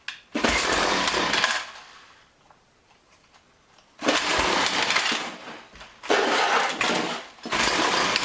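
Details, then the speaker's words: John Deere BC1600 two-stroke trimmer (Zama H46 carb), long-stored: catches in second-long raspy bursts, silent between pulls; hard starting, won't keep running, owner suspects carburetor needs a thorough cleaning. "Well, it almost wants to go. I may just need to take that carburetor apart and give it a good cleaning."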